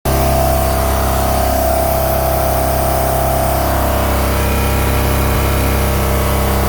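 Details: MerCruiser 3.0 sterndrive boat engine with a frozen, cracked block from improper winterizing, at idle: raspy puffing tick on each firing pulse, exhaust leak.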